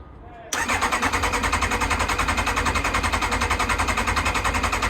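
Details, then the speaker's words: Kawasaki ZX-9R left outdoors over 4 years, cranking steadily without catching; fuel filter half full but pump outlet pipe completely dry, fuel not reaching carbs, crank no start from fuel starvation (easy start spray then used). "check this out I think we've got some kind of a fuel issue I'm not getting fuel through"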